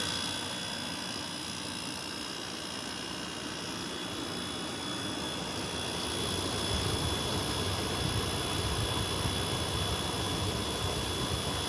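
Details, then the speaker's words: 2003 Whirlpool 5000 BTU air conditioner, model ACD052MM0, thermostat all the way down, blowing cold: steady even air rush over a low compressor hum, no rattles or knocks. It is running normally and very quiet. "Oh yeah, this is working. It is cold. It's definitely cold. It is working. Wow, this sounds really nice. It's very quiet."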